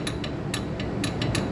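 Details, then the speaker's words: John Deere Z375R mower: sharp uneven clacks about four a second as the engine is turned over, from play in the loose electric PTO clutch, which turns separately from the crankshaft; loose PTO clutch clatter. "So that noise is just the looseness in here. This is that electronic PTO, because this right here turns separate than this."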